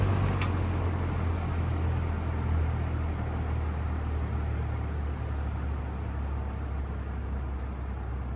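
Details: Vintage Air King PL20P box fan, Westinghouse motor after cleaning and oiling: steady even low hum with no ticking, rubbing or wobble; motor runs smoothly.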